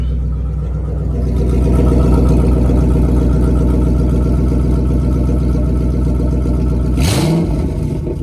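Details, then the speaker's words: Ford 3V V8 with newly fitted Ford Performance intake manifold and throttle body after a rough first start; deep, even rumble with a quick clean rev blip, sounding healthy. "I ain't gonna lie, she sound a little healthy. She sound a little healthy for real."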